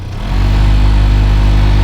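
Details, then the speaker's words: 2010 Toyota Corolla LE at startup, blower on (owner suspected rodent-chewed wiring). The blower runs but throbs with a heavy low rumble that shakes the seat and rattles the door. "but it's kind of shaking the whole car. My seat, it's completely vibrating."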